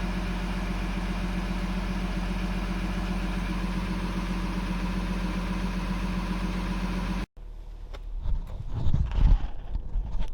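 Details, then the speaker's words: Audi A5 3.0 TDI 180 kW common-rail diesel, which died while driving and would not restart; after engine work, new timing chain and coding of the injectors: steady, even idle with a low smooth hum, no knock or miss, normal idle. "No nii, et selle A5-ga on siis ühel pool, et sain ta kokku ja käima."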